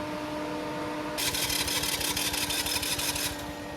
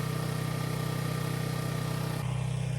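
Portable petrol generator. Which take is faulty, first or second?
first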